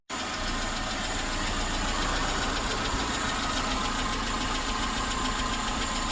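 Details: Suzuki SJ413 1.3L engine idling smoothly and evenly with a steady beat, no stumbles, pops or knocks, after fitting a new Toyota 3K carburetor and carb-base gasket and setting ignition timing to cylinder one; normal idle.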